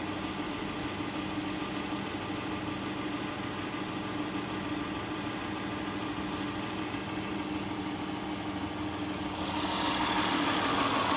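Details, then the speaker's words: 2010 Chrysler Town and Country, hydrolocked, after reassembly with new intake manifold gaskets and plugs and coils reinstalled: catches and settles into a steady, even idle, rising slightly near the end. It runs well while smoking off the water and oil in the cylinders. "runs good as a smoking see they can clear out all the water and oil that I've poured down in the cylinders"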